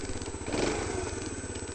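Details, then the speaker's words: Freshly rebuilt engine in 'Dot', first run after rebuild: lumpy, uneven firing at low speed with wandering beat, not holding steady idle; owner attributes it to new pistons and rings still needing to run in. "so she starts no no uh idling because she's got to run a pistons in piston rings in and stuff"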